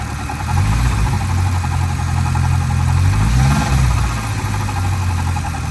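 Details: 2010 Camaro SS V8 given light throttle blips: quick, faint knocking tick over the exhaust note, engine knock under light throttle.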